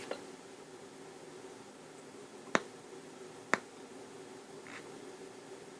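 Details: 1973 Luxman L-507 amplifier, 50 W per channel, on cold start: quiet hiss broken by two sharp pops about a second apart with faint crackle on left channel before relay clicks in; intermittent amplifier crackle and pop, cause not yet found.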